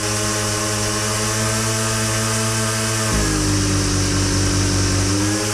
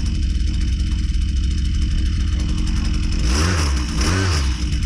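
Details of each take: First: Husqvarna 122C two-stroke string trimmer, carb adjustment: a steady high buzz drops in speed and burbles unevenly as the high-speed jet is richened, back and forth. Four-stroking from rich high-speed mixture. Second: Husqvarna 122C string trimmer two-stroke after carburetor low-speed leaned out slightly, around 2500 rpm: steady buzz then two quick clean rises in pitch on throttle; response crisp and normal.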